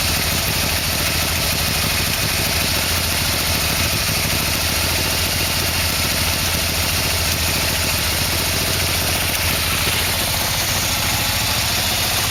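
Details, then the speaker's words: 1987 Yamaha V-Max V4 engine on its final test start after a carburettor sync, with oil filled and exhaust fitted. It fires right up to a steady, even, well-balanced idle with no knocks, ticks or rattles; a normal idle. "it was like the motor started right up not making any noise so I would say this is a success"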